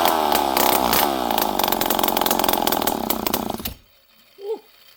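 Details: Poulan 5200 Counter Vibe chainsaw, last run 5-6 years ago, on the bench after carburetor screws were set around half to 1.5 turns, with no muffler. A loud, raspy buzz holds steady, revs cleanly, then shuts off crisply. Normal running.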